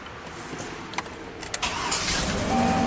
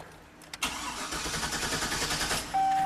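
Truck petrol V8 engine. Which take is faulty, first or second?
second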